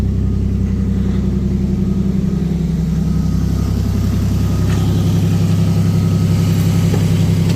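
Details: Toyota 1JZ in Nissan Silvia S15, about 2000 km after a poor rebuild, glitter found in the oil: first start, steady idle with a regular metallic knock about four a second, sounding like bottom-end damage; engine knock at idle.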